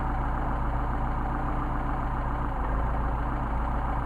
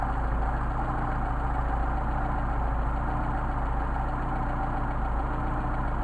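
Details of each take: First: Mercedes 190SL with tested Solex carburetors, idle mixture screws set to the midpoint after adjustment: steady, even idle with no stumble, hunting or misses; mixture sounds right. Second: Mercedes 190SL on bench-tested Solex carburetors, idle mixture screw being adjusted from 6.5: low, uneven idle with an irregular beat, nearly dying; lean idle stumble from mixture screw turned in.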